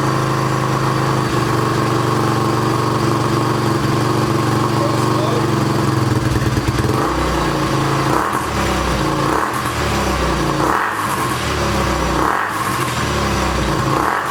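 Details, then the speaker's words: 2006 Honda TRX300EX quad, restarted after carburetor cleaning, fires right up but idles choppy and uneven with rough surges, very loud; oil heard draining back into the bottom end; cause unclear. "uh it's kind of choppy a little bit ah so he runs uh man that thing is loud it is super loud"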